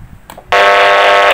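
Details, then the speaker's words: Radio rig on a 12 V supply with insufficient current: light dims, transmitted audio gives a harsh buzzing hum, and RF output is only 20 W instead of about 50 W on high. "Lampu radionya redup banget ya. Dan audio yang keluar dengung banget teman-teman."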